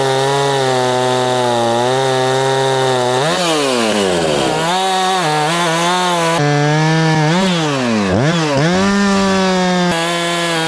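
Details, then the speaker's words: Husqvarna chainsaw cutting after repair of a hidden carburetor leak that had caused bogging; crisp high revs drop smoothly into the cut and recover cleanly, no bogging or surging; running properly under load. "elle fonctionne bien je vais la sortir faire quelques tests pour que vous puissiez voir à quel point elle fonctionne maintenant que la fuite est corrigé"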